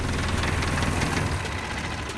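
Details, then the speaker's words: Dodge Dakota loaded with scrap, warm at operating temperature after 10 minutes driving, AC off: low uneven rumble with steady shaking at idle; owner suspects fan clutch or electric fan, unconfirmed. "why is this sucker vibrating like this got the beard that fan clutch wow y'all okay oh yeah it's some it's either the fan clutch or the electric fan"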